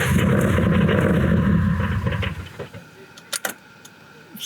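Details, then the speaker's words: Boosted BMW E36, first start attempt with valve cover and cams refitted: starter cranks steadily about two seconds without catching; crank no start, no gas in the tank. "I think it needs gas. don't got no gas in it."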